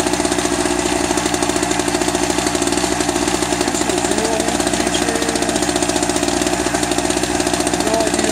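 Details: Eagle River ERG1200 two-stroke generator, first start: busy buzz with harsh rattly knock on every firing stroke; owner suspects poor lubrication as oil smells plasticky, cause unconfirmed; knocking.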